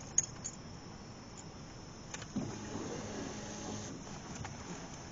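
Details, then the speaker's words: Cadillac CTS after new in-tank fuel pump fitted via access panel, ignition cycled on: a click, then a faint electric hum for about two seconds that stops; pump primes normally, no leaks. "I'm going to go ahead and turn the ignition on. And I'm going to prime it a couple of times by turning the ignition on, off, on, off. But listen for this to see if you can hear it pumping or if we see any leaks suddenly appear."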